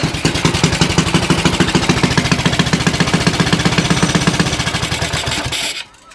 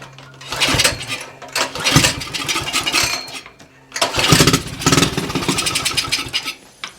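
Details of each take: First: Axis M200 196cc mini bike, bought non-running, kill switch left off and grounded to test: rapid, even single-cylinder popping at a steady fast idle, then it stops abruptly as the kill circuit works; normal running. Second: Axis M200 196cc mini bike that would not run, fired on carb spray: two short, ragged bursts that die away. Fuel flow to the carb was confirmed, so a clog in the carburetor is suspected.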